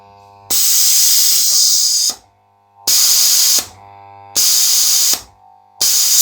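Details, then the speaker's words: AS196 airbrush compressor at 4 bar cut-off: loud sharp hiss bursts about every 1.5 s from the solenoid valve; first suspected solenoid, traced to faulty check (non-return) valve in tank feed line letting tank air leak back. "And if you put your finger over that, that cuts the air. So initial impressions were that there is a fault with the solenoid or the valve."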